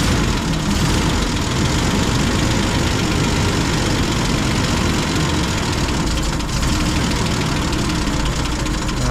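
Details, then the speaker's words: M8 Greyhound armoured car engine with an overhauled distributor and ignition. It idles loud, lumpy and unsteady under a heavy rumble. A new coil, leads and plugs were already checked, and the rotor points almost between cylinders when the points open. Rough idle; next the fuel mixture and idle speed are adjusted. "hey so the engine's not idling too well so maybe let's see if we can understand if it's a caused by you problem"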